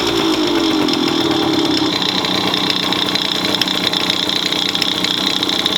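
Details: Bored-up Yamaha Chappy 50 two-stroke: loud busy rattling clatter with sharp top end over a fast idle, abnormal noise from idle; owner suspects crank or head.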